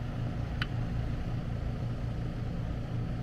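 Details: AC condenser running after repair of a mounting screw shorting a high-voltage leg at the disconnect (intermittent breaker trip, no cooling). Voltage checked at 239 V. Steady low hum, even pulsing beat, no clicks, buzz or grinding. Normal running.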